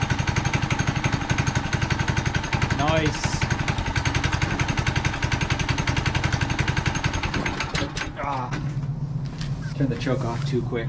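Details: Manco Dingo go kart with 6.5HP Subaru Robin single-cylinder engine; quick even putter, catches and settles to a steady idle after starting: normal running.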